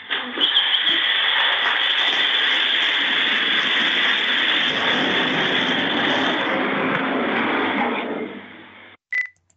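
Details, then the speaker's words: E-scooter/e-bike lithium-ion batteries on charge in a flat in China: loud steady hiss with crackling pops for about eight seconds, then an abrupt stop; thermal runaway with safety vents popping and venting. "batteries are going into thermal runaway and what you will hear is the popping of the safety vents"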